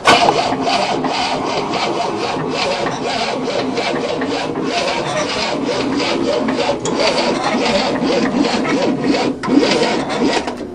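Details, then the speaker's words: 1967 Cadillac not started in 30 years, choke propped open with screwdriver, battery booster, two batteries and new starter: quick steady starter churning about ten seconds without firing; suspected flooded though plugs were dry; cranking no start. "That's a little better. Flooded, right?"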